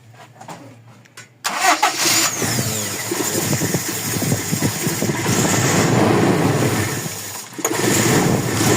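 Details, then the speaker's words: Toyota Revo 1RZ engine before repair: catches after cranking, then uneven, stumbling idle with skipping beat; one cylinder misfiring, later traced to injector number 4. "Mim-missfire siya eh. So titingnan natin kung saan ang talaganging ay ng kuryente."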